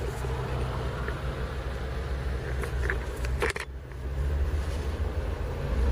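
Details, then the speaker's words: UAZ Patriot ZMZ-409 engine, which ticked only when warm, idling after hydraulic lifter replacement and timing chain and tensioner work: steady low idle with no top-end ticking, only a brief handling clatter; lifter noise gone. "Ну короче вот столько теперь давление Теперь у меня ничего не [аплодисменты] шумит двигатель не слышно"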